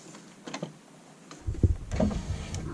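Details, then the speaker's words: Neglected Lincoln Town Car rear power window, retested after the battery was disconnected for an electrical repair: a few switch clicks, then the low hum of the motor running the glass; works again. "And now the back window's working."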